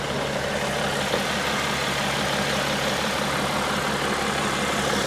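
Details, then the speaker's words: 2012 BMW X5 3.0 diesel AWD, warm idle, no fault codes: quiet, even diesel hum with no knocks or rattles, surprisingly quiet for a diesel; healthy idle. ">> It doesn't sound like a diesel, though. >> No, it doesn't. >> It doesn't. It There's no It's so quiet."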